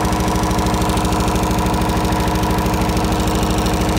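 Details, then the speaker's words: MEP-003A military diesel generator, 900 hours, new oil and fuel filters, fuel system flushed: electric fuel pump heard slowing as pressure builds, then a steady chug about 130 beats a minute settling to even idle; slow to start, but runs. "it's a little hard starting but it does start and run so there's there's the fuel pump running you can hear it slowing down as it builds pressure"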